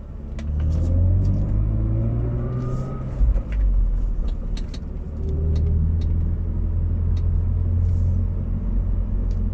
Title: BMW Z4 rear end humming noise at low speed acceleration /hátsó zaj alacsony sebességű gyorsításnál